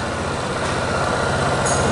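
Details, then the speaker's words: Yamaha Teneré 250 single-cylinder idling right after valve adjustment (exhaust valve had been tight, no clearance): steady even low pulses, no top-end ticking; normal idle with correct valve clearance. "Vamos ligar a moto aí. Bateu, pegou."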